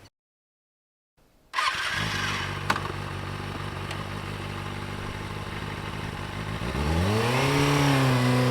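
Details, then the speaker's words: 2007 Kawasaki ZX-6R with 5k miles, rebuilt after sitting 10 years with its fuel pump replaced, likely stock muffler: a smooth even idle, then clean revs to about 5000 rpm with no misses or rattles. "um and the rpm sound um i mean like that sounds pretty nice like about 5000 it actually works pretty good i think it's a stock muffler too"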